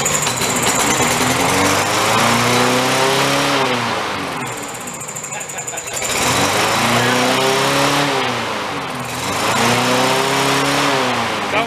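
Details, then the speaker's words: Free junked lawn mower with a "does not run" sign, primed and started: screams up to a very high, wavering rev, surging and falling back. Over-revving from a stuck governor. "so that's what was going on with here the governor was stuck in the beginning of it though it was revving real high"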